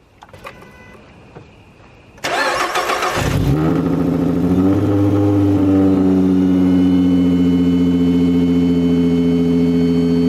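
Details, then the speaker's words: Ford Mustang 3.7 V6 with supercharger kit and intercooler, first start after install: it starts quickly into a steady idle with a thin high whine over it; the supercharger belt may be too tight and tilting it back. "sounds like a damn airplane about to take off booster the moon that was sick"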